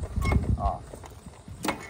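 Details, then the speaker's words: 23-year-old Club Car DS golf cart, batteries out, motor being diagnosed, pedal pulsed on/off: dull low clunk/click with shaking each time the drive engages. Owner unsure whether motor, transaxle or spline; cause not confirmed. "off on off so makes that click every time you engage it"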